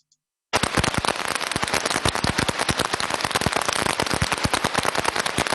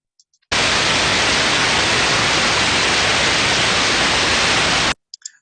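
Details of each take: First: Ultrasound heterodyned recording of conveyor idler bearing number four: dense, harsh, rapid, uneven crackling impacts, far worse than bearings two and three, indicating severe bearing damage. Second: Ultrasound heterodyned bearing inspection: smooth, even white-noise hiss with no sporadic crackling or grinding, typical of a newly installed, adequately lubricated healthy bearing.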